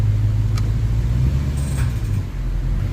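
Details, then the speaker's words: Infiniti M45 (VK45DE V8) at idle after the drive belts were refitted over the pulleys: a quiet, smooth idle with no squeal, chirp or bearing whine. The cleaned pulley later got noisy once warm and was replaced with the Gates one. "yeah it's really quiet I don't hear anything at all"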